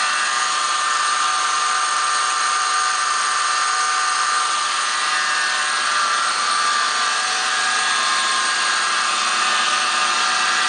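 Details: 2003 Toyota 4Runner 1GR V6: steady high-pitched whine around 1 kHz over the engine, under the hood; source not pinned down.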